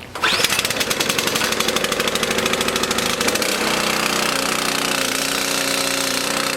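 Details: Lawn mower engine in fuel additive test, sat two months on VP fuel, started with switch on and choke out after about nine pulls: catches and revs briefly, then an even steady buzz with no stumble, running cleanly.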